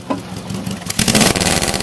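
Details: Subaru with about 400,000 km: idle then a sharp, clean rev that rises and settles without knocks, misses or rattles; a healthy, strong-running engine.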